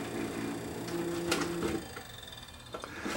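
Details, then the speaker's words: Panasonic PVS7670 S-VHS VCR, head drum spinning: thin wavering hum with scraping ticks, like something rubbing on the head drum; drum suspected shot, rubbing fault. "this was making quite a noise when the Head drum was spinning I think this drum might be shot I mean that sounds like something is rubbing on the the Head drum"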